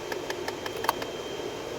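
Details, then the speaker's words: Light, quick tapping about five or six times a second over a quiet fan hum with recirculation off, stopping when recirc is switched on; HVAC code recirculation door travel range too large, a binding recirculation door actuator knocking. "Okay, so that noise you're hearing, ladies and gentlemen, is coming from the recirc actuator. All right, yes, it is monitored by a HVAC module."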